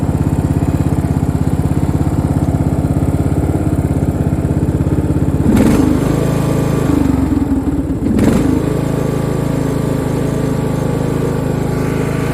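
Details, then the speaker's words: Free Craftsman riding mower (917.273760), warmed up after valve adjustment: steady low single-cylinder thump holding speed, brief bumps, no knocks or misses. Running much better, though it still surges occasionally; motor thought fairly worn. "oh she's running really good so and so it's definitely running a lot better than it was"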